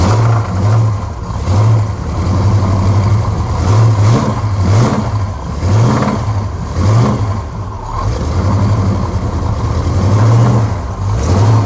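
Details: 1976 Corvette, blown small-block Chevy V8, lumpy revving in repeated blips with a deep rod knock under the exhaust, heard on one side.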